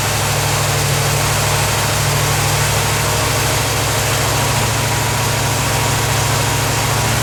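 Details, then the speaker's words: 1977 Corvette V8 first start after over 6 years, fresh super unleaded, leaking fuel filter gaskets snugged: loud steady idle with an uneven loping beat; rough idle, cause not confirmed; fuel leak remains, owner suspects an old hose. "i know well it's not idling too good but all right awesomeness"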